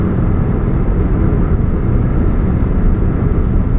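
A low, steady droning hum under the engine noise with no clean high tones, pointing to an exhaust leak at the catalytic converter.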